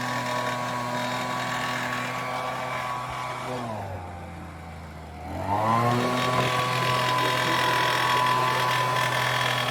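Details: Homelite UT08572 30cc backpack leaf blower, a small two-stroke bought marked "fix me," being started after a repair. It buzzes steadily, dips briefly to a low idle, then picks straight back up to speed. Normal running.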